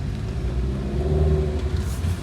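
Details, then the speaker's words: Mercedes A200 after replacing the broken driver-side rear engine mount and worn front mounts: deep, even engine rumble under hard acceleration with no clunks or knocks; the earlier noise when pulling is gone. "So, after replacing the mountain, um the car just get better. There's no more noise. As you can see, I'm going to accelerate it right now."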